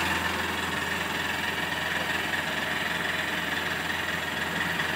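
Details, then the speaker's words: BS6 Honda CB Unicorn 160 motorcycle with non-working RPM meter, idling and revved to 3000-4000 RPM: steady single-cylinder idle with a light, quick ticking from the top end; cause not confirmed. "ये देखो आवाज़ आ रही है, ये टिक टिक टिक टिक की आवाज़ आ रही है।"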